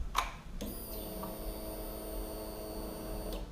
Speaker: that sound is the fuel pump priming I do not see any leaks